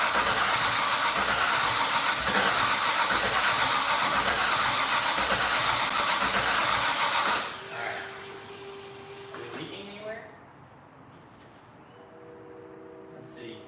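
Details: Fatsun (Datsun), first start attempt in 3 years: starter churns about four beats a second for seven seconds, never fires, then stops; fuel smelled, spark and return line to be checked; cause unconfirmed.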